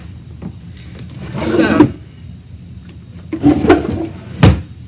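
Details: Wooden dresser drawer scrapes and drags sliding in and out, then thuds closed. It still sticks after cleaning the tracks and waxing the rails, because parts have raised with age.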